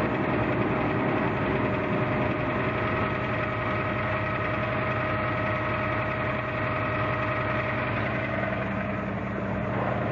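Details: Toyota 4Runner at idle: steady idle with a faint dull knock about three per second; dealership suspects rod knock, unconfirmed.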